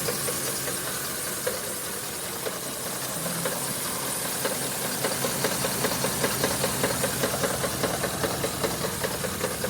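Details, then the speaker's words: 2010 Ford F150 5.4L 3V under 90k miles at idle: a sharp, regular knock about 2.5 per second, louder on the passenger side, worse over 5 days, vibration felt at the VCT/oil cap; owner suspects cam phasers, not timing chain. "Listen to this. Knock knock knock. Driver side. Definitely louder on the passenger side. It's gotten louder over the last 5 days."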